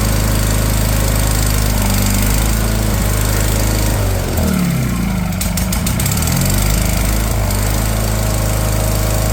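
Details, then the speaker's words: Wheel Horse 416 Hydro, 16 hp, sat two years, after new fuel filter, started on choke: low steady thump about four a second, revs dip and wobble as hand covers carb intake, then settle; water likely in cylinder. "and there she go she started up"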